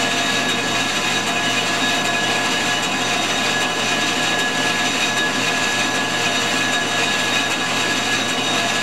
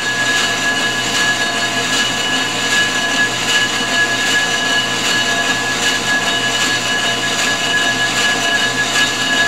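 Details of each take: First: Ford 460 flywheel being resurfaced on a G0776 lathe: steady even hiss of the facing cut with a constant high tone and no chatter or squeal; a smooth, healthy pass. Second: Ford 460 flywheel being faced on a G0776 lathe: a steady high-pitched ring sings over the cutting hiss, tool chatter that grows the further out from the center the cut goes.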